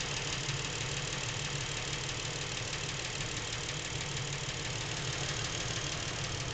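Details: Lincoln MKX with 7,000 miles, knocking since new and getting worse; even idle with light quick tapping knock, few per second, from back of the motor away from cam phasers and chains; dealer heard nothing, source unclear.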